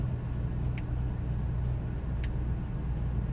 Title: 2000 ford expedition 5.4 rough idle